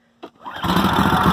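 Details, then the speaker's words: 2012 Toro walk-behind mower with about 3000 hours, spark plugs only cleaned, no carburetor problems: a quick rope pull, engine catches within a fraction of a second and settles into a steady, even idle; healthy start. "I'll start it up for y'all y'all can hear how it runs and idols"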